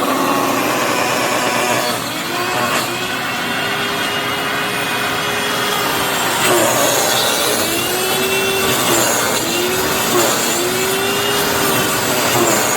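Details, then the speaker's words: Hoover FloorMate floor scrubber after about 6 months of very light use: harsh, rough grinding roar with wavering squeals over the motor hum, sounding like it is eating itself; owner says the motor bearings have died. "So obviously the bearings in that motor have died after, like I said, about 6 months of very, very light use."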